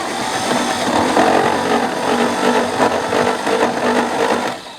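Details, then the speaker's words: 1964 Chevy Biscayne parked 30+ years behind a barn, cranked with a starter device after wiring fix, harsh whirring crank with uneven rattle about three beats a second, spins but never fires; abnormal cranking noise. "Well, that sounds not good. It does spin though."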